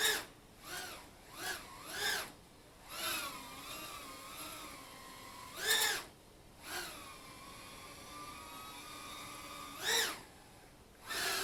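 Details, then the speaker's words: Flex RC Piko Owl brushless whoop (RacerStar 1103 8000kv motors, FuriousFPV 1935 props) hovering at about 40–45% throttle, then punched to 80–90%. It gives high whining bursts that rise and fall, with slight buzzy roughness at high power, from prop vibration. "you can hear that little vibration with my props unfortunately I don't have any extras to go to"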